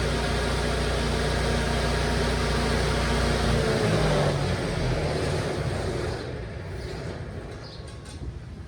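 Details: FMC M10000 air conditioner running with the doors opened and dampers set, briefly run and then switched off: steady, even hum with constant low tones, easing off toward the end as it winds down. Normal running.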